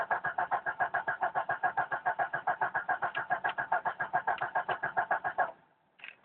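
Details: 1992 Jeep Cherokee petrol 6-cylinder, first start of day, about 24-26°C: starter turns steadily about two and a half beats a second for five seconds, never catches; hard starting, cranks but won't start.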